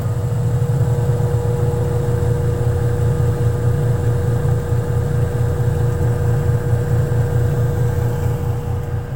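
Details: Samsung wobble-technology 8 kg washing machine after repair of poor drying, with clothes found lodged underneath: even low drum rumble and steady motor hum, no knocking, scraping or rattling; running normally.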